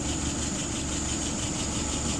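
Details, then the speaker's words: '48 test engine with a freshly restored, adjusted carburetor, no leaks: slow, even idle at 640 rpm with a steady low throb, no stumbles or ticking; fuel pressure about 2.75, vacuum 23. Healthy idle, slightly below the preferred 650-700. "Current idle, 640. I like 650 to 700, but that'll do for now."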